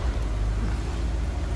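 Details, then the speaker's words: 1963 Ford Galaxie 500 convertible, 289 V8 with Cruise-O-Matic automatic: a deep, even rumble taking throttle cleanly, with no misses, knocks or ticks; smooth running. "nice throttle response door closes nicely sounds good nothing crazy the topper exhaust it should be on this car nice Cruiser"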